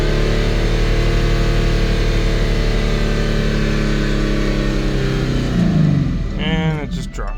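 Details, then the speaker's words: Jaguar S-Type with the original fuel pump reconnected, new battery and stale fuel; it runs a few seconds, then the rpm sags and it stumbles toward stalling, with a backfire. Owner suspects the wrong fuel pump. "why does it just drop like that all right and here the fuel pump running backfire it might not be the right fuel pump for it"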